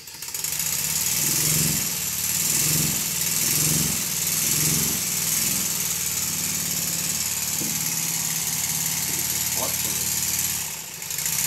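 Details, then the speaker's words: First-build Stuart Models 7A vertical model steam engine running in reverse despite loose reversing lever and drop arm: quick rhythmic chuffing over steady steam hiss, settling into a smooth run; runs well. "even with the reversing lever and the drop arm being loose it still goes into reverse and runs"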